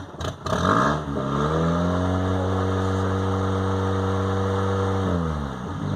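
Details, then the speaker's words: 1998 Honda Accord: after a slight throttle push revs climb and hang at 2,000–3,000 RPM for a few seconds before dropping back to idle; idle not settling properly. "so the idle, what happens is when I push the gas pedal down just a hair, it'll run between 2,000 and 3,000 RPM, and when I let off of it, it'll the idle will drop back down."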